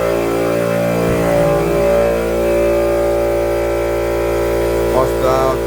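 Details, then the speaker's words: Air compressor running with decibel meter held close: loud, steady motor drone with strong even hum, constant pitch, no knocking; normal but significantly louder. "Okay, so you know, this one wins. This one's significantly louder."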